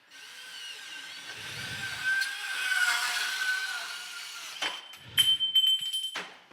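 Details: Milwaukee cordless subcompact band saw cutting metal conduit with rest pushed against work; light motor whine with smooth blade rasp, no chatter or rattle, clean cut.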